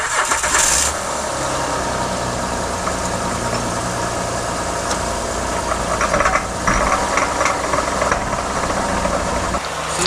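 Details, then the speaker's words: 2008 Honda Odyssey, about 170,000 miles, no noise in park but put in gear: heavy steady knocking clatter rising in bursts, won't move; broken CV axle, bearing-holding piece broken off and wobbling. "t it does not make any noise yet but when you're put into gear hear that [Music] yeah put a note roast and make a noise put a parking terrible noise"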